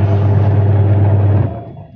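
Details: 14 kg twin-tub washing machine wash motor after gearbox replacement (previously rough and weak-turning): steady, even low hum, no grinding or labouring, then spins down; motor and gearbox running fine.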